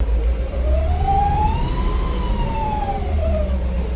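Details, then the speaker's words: 1956 Cadillac Sedan DeVille, idling in drive on a cool day, driven just over 100 miles since restoration: a squeaky whine rising and falling over a heavy idle rumble, louder in gear than in park and quieter than before; transmission whine suspected. "so yes see if you hear that squeaky that whining noise now remember the clip you just saw it's actually not as loud as it used to"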